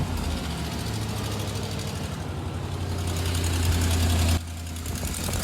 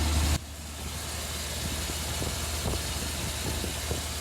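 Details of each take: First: Orange Suburban at idle after a manifold repair attempt: fast, uneven puffing tick about three per second over the low rumble; exhaust manifold still leaks badly. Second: Orange Suburban after a third attempt at fixing a leaky exhaust: even, low, steady idle with no puffing or ticking from the manifold; exhaust now sealed, engine sounds healthy.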